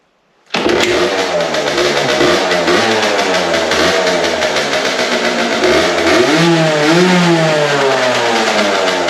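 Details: Aprilia SX50 two-stroke, before the rebuild and needing a new battery, kick-started with a little throttle: catches at once and settles into a crisp even buzz, small blips picking up cleanly.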